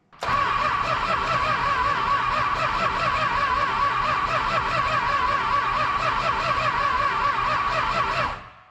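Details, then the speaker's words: 1966 Chrysler Crown Imperial, Mopar big block, sat 21 years, points just filed: steady starter cranking for about eight seconds with no firing; spark came briefly then dropped out, points suspected worn; crank, no start. "We only got a couple of good sparks and then it dropped out. Interesting. What's the problem here?"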